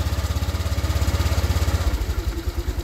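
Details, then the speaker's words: Scooter just refitted with new shocks, new CVT parts (rollers, torque drive) and a new spark plug, started after reassembly: a smooth, even low putter at idle with no rattle or drive-belt noise. It runs very quiet. "So this time paandarin na natin. Yun, napakatahimik na mga kamisteri."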